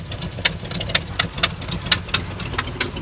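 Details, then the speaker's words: 2005 Ford F-350 5.4L Triton 3-valve V8 at idle, with lean and O2 sensor codes; uneven stumbling idle with sputters about twice a second, caused by the main metal vacuum hose at the brake booster popping off, a vacuum leak. "see it runs like [ __ ] barely idle okay so the vacuum hose that is that is leaking just causing this thing to idle sporadically and not run good"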